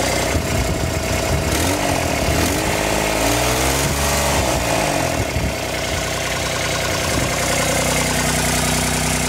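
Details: Kubota RTV1140 with D1105 diesel, first start after replacing water pump with failed shaft seal, radiator cap open: diesel clatter holds steady idle with a short rise and fall in revs, no odd noises; runs smoothly.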